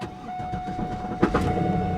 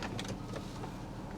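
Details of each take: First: Old Pontiac Firebird at a salvage auction, 143,000 miles, start after sitting. About a second of uneven, iffy cranking, then it catches and settles into a steady idle. A knock is noted right after start. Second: Auction vehicle, discussed as a Mercedes ML, idling. A soft, steady low hum with a few light taps from people nearby. Even idle with no knocks or misses; the engine sounds really good.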